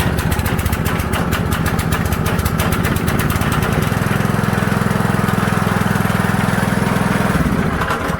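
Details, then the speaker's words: DeWalt 3200 psi pressure washer with Honda GX200, sat a year and started then died; after cleaning the plugged carburetor balancing jet it runs a fast, even putter with no surging, briefly without water. "Alright, so you can see that cleaning the jet worked on this job."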